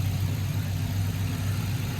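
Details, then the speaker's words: Lincoln engine running after sitting for 3 years, previous noise gone: steady, even low idle with smooth rumble and no knock; slight valve chatter noted but faint; normal idle. "Well, that was it. No more noise. And this thing actually runs really good. It sounds good. You get a little chatter from the valves, but it's been sitting for 3 years."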